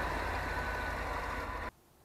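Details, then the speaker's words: Cold start after new injectors and intake gaskets fitted to RV: no check engine light, dead cold start, steady even smooth low idle rumble with no knocks or misses before cutting off; normal cold idle. "looky there no check engine light that is a dead cold start and it sounds good"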